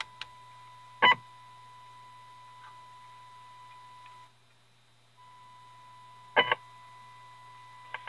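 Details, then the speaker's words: 1932 Tiffany Tone Model 5 tube radio, IF tuned to 465, signal generator in, volume full: faint test tone drops out about a second then returns amid handling clicks; intermittent from cold solder joint on a tube socket pin, fixed by resoldering. "definitely have a problem either with the tube with the socket pause the video and see if I can tighten up the pins on that socket okay we had a cold solder joint on one of the pins on the bottom of this tube"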